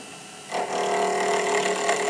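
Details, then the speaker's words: Pen-turning lathe at slow speed, with a roundover tool cutting a square blank. A rough, scraping chatter as the flat edges and corners knock against the tool, rattling until the blank turns round: out-of-round workpiece. "a way to check it without turning off if it's around is if you hold this and you hear it rattling it's not perfectly round cuz that flat edge is hitting it and making a nice bounce"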